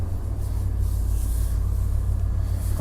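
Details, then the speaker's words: Chevy OBS truck started after sitting about 1.5–2 years: deep, steady idle with an even pulse and no ticks or knocks; good oil pressure and a smooth, healthy run. "She looks like she got good oil pressures. Man, she sounds good."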